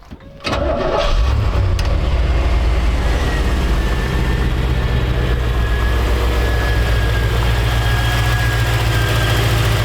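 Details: 1956 Chevrolet Bel Air Nomad resto-mod with fuel-injected 350 V8, 700R4 and dual electric cooling fans: quick crank and catch, then a smooth, steady V8 burble settling into an even idle. Starts and runs cleanly.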